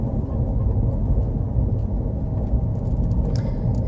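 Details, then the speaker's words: 2017 Mini Cooper Countryman F60 All4, before replacing wheel bearing hubs: deep pulsing low rumble under road noise at steady speed from failing wheel bearings; gone after hub replacement. "This is what it sounded like before the repair. You hear that same pulsing rumble sound."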